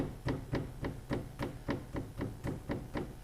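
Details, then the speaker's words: Nissan S15 drift car rear suspension arm tapped by hand: dull, loose knock from worn rose joint (replaced two or three times before), being swapped to poly bushes. "Also, I've got a knock on the back of my car. It's not a bag of shit, trust me, honestly. When I tap here, you can hear this knock."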